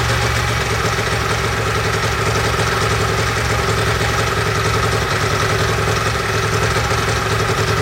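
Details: Ducati 916/748/996 four-valve desmo V-twin after a timing belt change: even, throbbing idle with a steady low beat and no knocks or rattles; engine sounds healthy.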